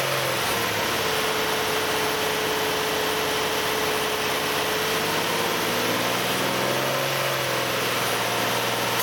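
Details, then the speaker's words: 2008 Nissan Elgrand E51 (ME51) 2.5L, about 90,000 km: with AC compressor engaged, thin whistling tone over steady engine hum from around 2000–2500 rpm, shifting partway; noise for about three years, none when compressor off; cause unclear. "エアコンをオンにすると、2500回転あたりから変な音がします。"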